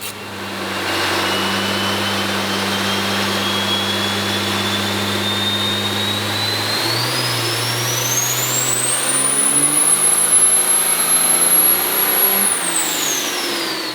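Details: 2012 6.7L diesel on a dyno with a new second-gen turbo swap, after re-clamping a leaking new intercooler boot (earlier 730 hp at only 36 psi): engine pulls under load, turbo whistle climbs smoothly to a steady high pitch. Boost holds, no leak.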